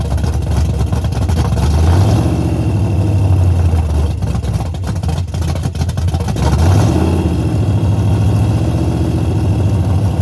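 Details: Henry J drag car parked since 1977, first start after revival: loud, lumpy big-engine rumble with a couple of throttle blips rising and falling; starts easily and runs strong, normal running.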